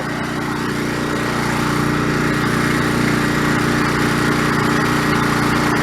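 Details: Old OHV Briggs single-cylinder on White LT1300 lawn tractor, repaired after pop, rattle and clang failure, test mowing: steady even drone holding speed, no knocks or misses; normal running under load.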